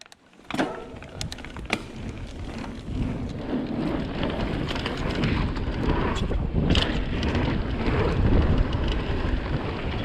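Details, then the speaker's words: 2020 Vitus Sommet CRS mountain bike at Aston Hill, chest-mounted GoPro, before the fix: sharp irregular ticks and clatters over trail rumble as loose internally routed cables slap inside the frame on bumps; owner later silences them with split braided sleeving. "I don't know if you guys have noticed, but in my previous videos, the cables on my bike are extremely rattly and it drives me insane."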